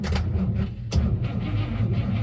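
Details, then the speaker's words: Abandoned 1961 Cadillac V8 after ignition switch delete: slow, heavy, uneven dragging cranking with no catch; the engine turns, but not happily. "we got an engine that turns although not happily"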